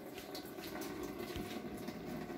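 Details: Washing machine with a single water inlet, switched off and unplugged but with the tap open: water rushes steadily with no cutoff as it keeps filling; scale in the inlet solenoid valve jams it open.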